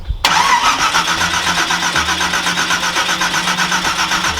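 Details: Nissan GTR R35 V8 1,500bhp drag car, unstarted for about 6 years: steady fast starter churning of about four beats a second, with no catch. It turns over but won't fire; owners suspect fouled plugs, not confirmed.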